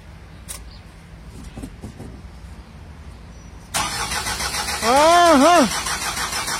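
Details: 2016 Isuzu 4HK1 electronic engine: quiet, then starter cranks steadily for several seconds without firing; cranks but no start, cause not confirmed.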